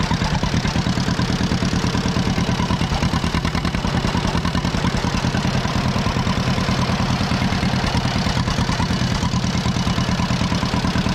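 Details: 83-year-old John Deere B, stuck and unused for 20 years, revived: steady low putt-putt about three beats a second, even and unbroken two-cylinder idle; normal idle after revival.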